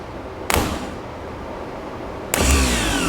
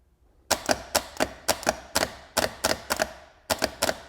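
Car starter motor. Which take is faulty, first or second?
first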